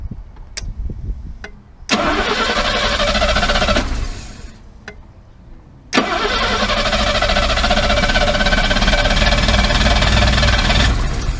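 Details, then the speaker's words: Mercedes W114 freshened engine on first starts after tightening a vacuum leak: cranks and catches twice, flat lumpy idle never settling; ignition timing believed really badly retarded. "The timing must be out. Yeah. Like really, really bad. Yeah. Really retarded."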